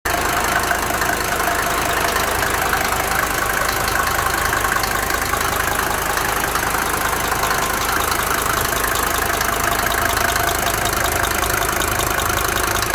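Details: Mercedes 190D 2.5 OM602 diesel at steady idle with a light, regular knock of roughly two to three per second; owner suspects a bad hydraulic lifter or injector.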